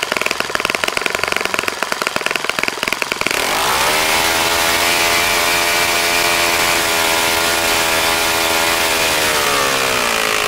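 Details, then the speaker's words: Saito FA-65 model four-stroke, first run after rebuild, APC 12x6 prop, Morgan's Omega 10% fuel, Fox Miracle plug: sharp popping at low throttle, then opens to high even buzz held steady without misses; normal full-throttle running. "okay John as you can see how so pretty nice running engine after a rebuild like that sometimes it's hard to get it primed I actually had to prime it pretty heavily to get it going shouldn't be an issue now"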